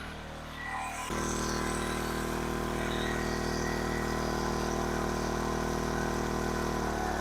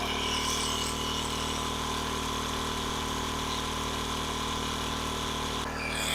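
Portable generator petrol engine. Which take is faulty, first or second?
first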